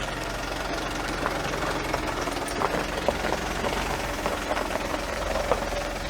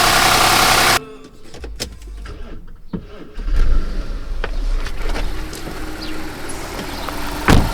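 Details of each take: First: Audi A8 D3 engine, previously rebuilt after a cylinder head failure with bent valves and broken tensioners: hard diesel-like clatter with sharp metallic ticks over a busy idle, timing chain rattle attributed to a seized hydraulic tensioner. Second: Audi A8 D3 after engine rebuild (broken head, bent valves, broken tensioners); catches and settles into smooth, steady idle with only light injector ticking; normal idle.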